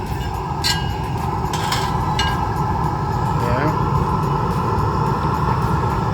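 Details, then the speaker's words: Eberspächer Hydronic 10 kW heater after burner change and cleaning, running about 15 minutes with temperatures rising; steady even burner roar, constant blower hum, no popping or surging; normal running. "it's working fine no problems 900 seconds so about 15 minutes yeah if I calculate this correctly everything is working final temperatures Rising as it should"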